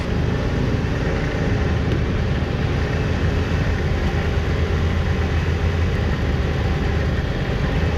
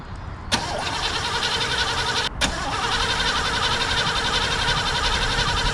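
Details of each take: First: 1988 Chevrolet Caprice Classic wagon, carbureted, first run on its own in 15 years, running off the fuel tank, some vacuum lines missing: low, steady rumble with even beat, no knocks or misses; normal idle. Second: 1988 Chevrolet Caprice Classic wagon abandoned 15 years: starter cranks the engine at an even pace, restarted once, but it never fires; crank no start. Owner suspects the in-tank fuel pump may be dead and plans to feed 50:1 fuel to it.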